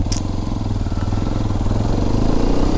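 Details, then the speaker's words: Hero Xpulse 210 on a test ride after a service to cure tappet noise: even, smooth engine note under way with no tapping from the top end; runs normally, valve clearance sounds correctly set. "Performance ಚೆನ್ನಾಗಿ ಬರತೈತಿ ವಾಯ್ಸ್ದು ಏನ ಅಷ್ಟು ಗಾಡಿ full ಒದರಾತಿಲ್ಲ normal ಆಗಿಐತಿ"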